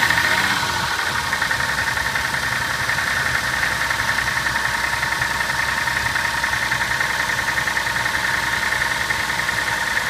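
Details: Toyota Soarer engine at cold idle: fast light ticking knock, roughly three or four a second, over a thin engine note; owner suspects big-end bearings, unconfirmed.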